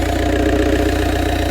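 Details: Ford Galaxy TDI diesel with fuel filter bypassed, fed from a bottle of diesel: steady even idle clatter, no misfire or hunting; runs after long-crank no-start and cut-out after 5 minutes; in-tank pump appears not moving fuel.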